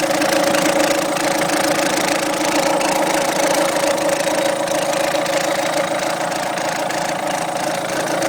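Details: Peugeot 207 1.6 HDi 110 diesel at idle: sharp, fairly regular knock about two per second over the clatter; owner hears a second bearing-like noise better when accelerating; unidentified idle noise, cause unknown.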